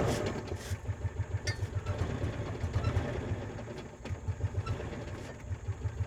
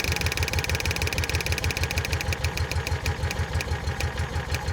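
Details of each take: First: 2004 Kawasaki Mule 3010 petrol twin, likely unrun six or seven months, after new fuel pump and carburetor: uneven lumpy idle about four pulses a second on one cylinder, then catches and smooths; owner checks the coils after pulling one coil power wire off. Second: 2004 Kawasaki Mule 3010 after fitting a new fuel line, running. Steady regular low thumping about three beats a second with a fine ticking over it: small engine idles normally.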